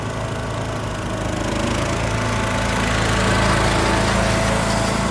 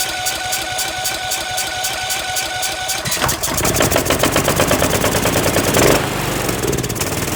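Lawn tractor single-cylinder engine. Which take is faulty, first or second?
second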